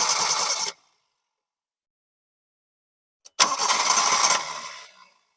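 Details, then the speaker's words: Engine on first start catches briefly, bogs down and shuts off; a later crank only spins and fades without running. Points to fuel starvation, with a suspected fuel pump not building pressure. "so now we notice that that once we started the engine for the first time there was a a a response the engine started and then it bogged down and it shut down"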